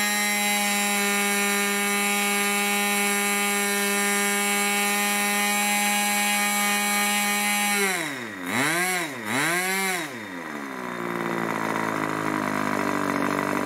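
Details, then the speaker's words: Irvine 40 MkII 1980s ABC glow engine, twin-needle carb, 10x6 prop, 7% nitro 20% oil fuel; clean steady high buzz at full throttle, then smooth swoops down as throttle eased; needles tuned after running rich; normal running. "well I really enjoyed that that was a joy to run it was lovely"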